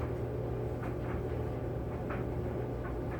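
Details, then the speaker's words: Kenmore 80 Series electric dryer after motor replacement, on the more-dry cotton cycle with wet towels: a steady hum, even drum rumble and soft tumbling thumps. Air is flowing and it works normally. "Well, I can tell you right now, it's working because the air is flowing."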